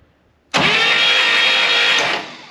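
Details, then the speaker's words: 1964 Buick Electra 225 engine from a fire-damaged car, cranked on the starter without spark plugs, full tank of gas, fuel pump working; strong even cranking whir about 1.5 s, no hesitation or grinding, starter healthy. "oh yeah and it's pumping gas starter sounds great I don't want to wear it out"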